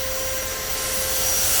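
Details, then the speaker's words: Salvaged household vacuum running alone from the 2023 Ford Super Duty 6.7 Pro Power onboard bed outlet: steady rushing air and a constant high whine with no surging or sagging; normal running. "so I grabbed this uh vacuum I garbage picked it whatever and it's able to run on this outlet but"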